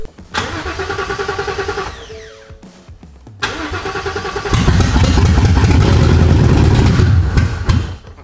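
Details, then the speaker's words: S550 Mustang swapped with a 7.3L Godzilla V8 and MT82 transmission, first crank with spark confirmed but injectors unplugged and fuel pump not priming. Starter spins the engine in a steady rhythmic chug but it never catches; no fuel delivery. "Buddy it just needs fuel all I like literally all I need to do is hook up plug in the injectors cuz we wanted to make sure she fired so the injectors are not plugged in right now"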